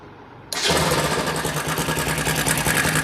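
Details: Bajaj Pulsar NS 200 before timing chain replacement: fires up and idles with a fast, light metallic clatter over the engine; worn timing chain and tensioner rattling.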